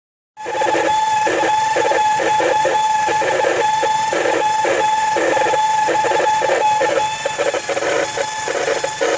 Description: This is my 2004 Mazda 6 It has begun making this whining noise and rough idle.